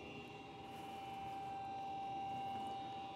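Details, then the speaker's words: Comfortmaker furnace, about 20 years old: a loud, steady whine with a rough grinding undertone from the draft inducer motor's failing bearings, which will seize. "So, if your blower, if your draft inducer sounds like this, you need a new draft inducer, for sure. The bearings are going to seize up and you won't have no heat."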